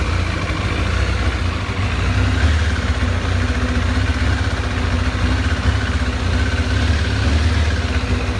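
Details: Newly acquired 2007 Kawasaki ZZR600 (Ninja 600) inline-four idles with an uneven, lumpy beat and a wavering low thrum; rough idle, cause not yet found.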